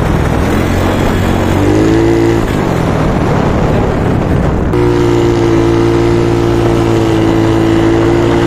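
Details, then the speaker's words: Freshly reconditioned carbureted Yamaha Mio Soul 160 big-valve big-bore scooter running on test: smooth pull, steady note rising and falling with throttle, no rattle or knock, a bit loud since it is built up; previously noisy and rattly, now quieter. "Testing na natin. Napakaganda ng takbo niya. So yan, medyo tumahimik na."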